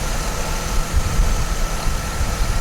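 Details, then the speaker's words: 2008 Chevy Trailblazer idling after serpentine belt replacement: loud screech gone, faint thin whine over steady idle; owner suspects power steering pump pulley bearings, tensioner unlikely, not confirmed. "That power pump pulley right there seems like it's making a little bit of noise. That's gonna be the bearings probably in that pulley."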